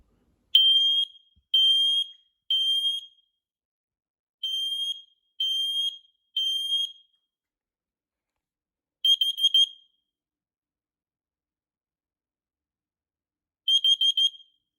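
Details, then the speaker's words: Smoke and carbon monoxide combo alarm with 10-year battery, test button held in: loud high-pitched beeps in groups of three, then short bursts of four fast chirps; normal, very loud test cycle. "So this is what it sounds like when you push this test button. You just hold it in."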